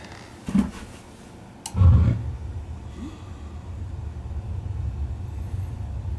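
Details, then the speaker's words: Bradford White propane water heater, age unknown, after cleaning the dirty power pile: soft click then firm whoomp as gas lights, settling into even low burner rumble; pilot stays on, normal ignition. "She's firing right up when I put it on, so I think we're gonna be okay."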